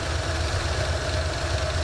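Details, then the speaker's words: 1984 Mustang GT350 V8 warm idle on new exhaust, holding 195 degrees with good oil pressure: a light, quick, steady ticking over the low rumble; owner hears a collapsing lifter and considers an oil change. "I notice I do have a lifter collapsing. I can hear that."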